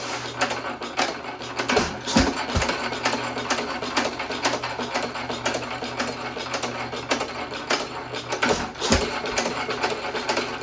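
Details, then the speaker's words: 1917 Economy hit-and-miss engine with old higher-compression piston refitted in place of low-compression one, buzz coil ignition, same speed setting, on stand: irregular firing pops with coasting gaps, no blow-by past rings, runs better. "Well, doesn't that run better? You don't hear all the compression around the rings and out the back end this time, do you?"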